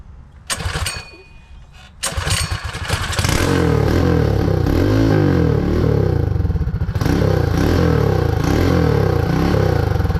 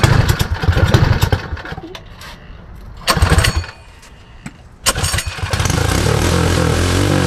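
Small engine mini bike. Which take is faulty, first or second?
first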